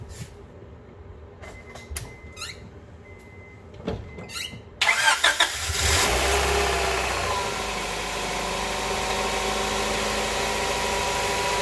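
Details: Honda Prelude SH after oil cooler/adapter gasket replacement, oil filter refitted: quiet clicks, then cranks and catches after about five seconds, settling into a smooth steady idle during a leak check.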